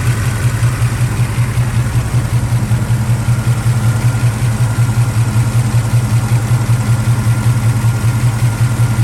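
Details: 1976 Camaro V8 at warm idle: steady, even low burble with no misses, surges or knocks. Gauge reads up to 250 but a temp gun shows 180 at the thermostat housing, with no smoke or coolant loss, so it runs normally and is not overheating.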